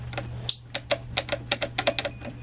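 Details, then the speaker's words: Alex wheelchair by Handicare wheel levered with a wrench, axle bolt already tight: sharp irregular clunks and clicks as the wheel moves back and forth; loose wheel bearing play, linked to tire wear. "see how the play there is see this bolt over here okay you can hear it and you're banging and moving around see how much this wheel moves"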